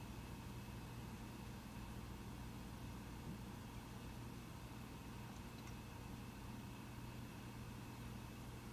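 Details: Mac Pro 1,1/2,1 idling with 32GB RAM before Geekbench 3 run: soft steady airy hum with faint constant tone, no surging, ticking or rattle; cooling fans idling quietly; normal idle fan noise.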